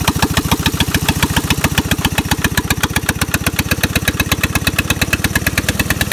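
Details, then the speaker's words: Onan/Lister Petter MEP-802A military diesel generator with injection pump problem, number two injector squirting poorly: steady fast-idle diesel beat with uneven, lumpy firing pulses; running rough. "[Music] that's pretty much what it does"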